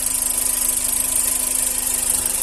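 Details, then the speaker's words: G5, about 2009, idling with the accessory belt removed and the phone held at the timing belt area: faint, even idle with no chirp or whine, the timing belt is fine, and the noise is blamed on an auxiliary pulley bearing. "correia dentada aqui não tem problema nenhum não tem nenhum barulho"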